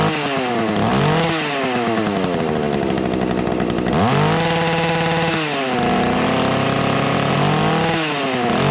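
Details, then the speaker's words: Two-stroke whipper snipper (string trimmer) at full throttle: crisp rev-up to a high steady scream, slight four-stroking burble at the rev limiter, clean response; normal two-stroke running at full revs. "Well, she's for stroking a little bit and hitting the rev limiter there, but uh that sounds like a damn good running whipper snipper all these."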